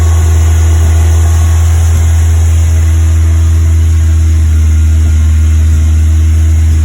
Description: Westfield FW Zetec Fast Idle Misfire